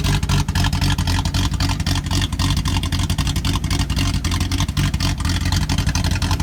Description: 1978 Datsun L28 had a vacuum leak inside the brake booster.